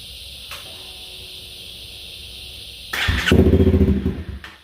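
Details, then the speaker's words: 2016 Honda CBR300R with bogging, stalling and rough idle, fuel lines refitted and fresh fuel added: engine catches near three seconds then uneven sputtering pulses that fade; nearly stalling as stale fuel clears. "oh so close oh she's trying man she wants to stay running"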